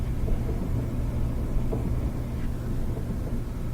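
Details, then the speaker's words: Whirlpool gas dryer being timed for slow drying after new gas valve coils were fitted; flame just lit after the coil click, then a steady low drum rumble with even hum and no clicking while the burner stays lit; normal running. "We're going to listen for when we hear the click of the gas coils that let the flame start. There we go. Flame just started."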